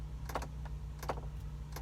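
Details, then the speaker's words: 2002 Ford Explorer with the ignition on and blower running: turning the dial to heat causes sharp repeating dash clicks, which stop on cold, and there is no heat. The fault is a failing blend door actuator, to be replaced. "now let me turn this dial to heat do you hear that clicking sound well I've turned it to cold and you can see it shuts off when I try to get some heat"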